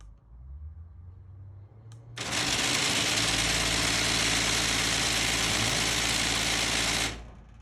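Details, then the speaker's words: Genie garage door opener running with a harsh, even grinding for about five seconds while the door won't open; fault suspected in the torn latch carriage mechanism that grabs the drive, which was replaced. "yesterday we started having a problem it sounded like a grinding sound and we couldn't open the Rotch"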